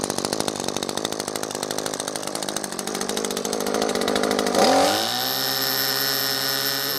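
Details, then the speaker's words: New Echo SRM-2620T line trimmer, restarted after possible flooding, off choke: rapid even two-stroke buzz, revs climb smoothly and hold steady without stumbling; running properly. "all right so far so good I haven't tried this out in grass yet"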